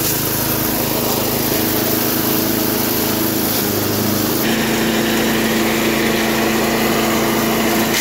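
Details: 1991 all-steel MTD 8hp chipper/shredder, a dump find with a Tecumseh HM80 cast-iron-sleeve engine, running after a new wheel and carb adjustment. Steady, busy drone as material feeds through, pitch sagging slightly and recovering; runs strong under load.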